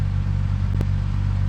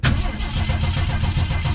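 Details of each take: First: Ford Maverick with its 250 cubic inch six, all-original factory air conditioning, idling as it warms after standing in the yard: quiet even low idle, steady rumble, no ticking or misfire, one brief clatter aside. Sounds good and quiet. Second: Vehicle that sat over six months through winter, cranked first for oil pressure, then throttle pumped ten times: low uneven chugging as it turns over without firing. Owner thinks it may need more gas; it almost catches.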